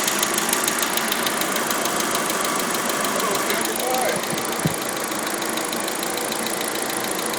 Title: Audi a4 weird ticking noise 3